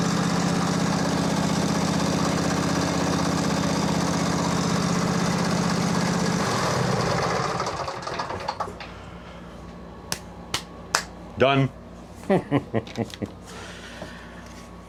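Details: Craftsman 22 hp Briggs & Stratton V-twin, on booster pack after fixing fuel-pump pulse line: fires, steady low idle for several seconds, then shuts down; runs cleanly now.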